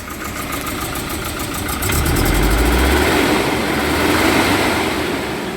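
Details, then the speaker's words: Volvo 740 red-block that was cutting out, just after fitting a spare used ignition module: runs lumpy and uneven with surging low rumble and irregular stumbles; misfiring, running poorly; new module and cambelt to follow, cause unconfirmed. "Right, I've just changed this module. Don't know why I didn't do it this morning. It's running, but it's running like a bag of"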